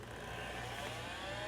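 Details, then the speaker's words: VTI Turbo 55 (Samsung) 12 MHz 286 PC, first power-up in a long time: thin whine climbing steadily in pitch over fan rush as the drive spins up; normal start-up. "Okay, spinning up, I can hear it."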